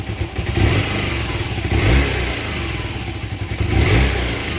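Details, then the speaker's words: Honda CB250N twin, engine resealed and refitted, after carb balance adjustment (gauges now more even): three quick throttle blips rise cleanly and drop straight to idle without stumbling; much more responsive, normal throttle response. "it's much more responsive so I think that's where it needs to be now"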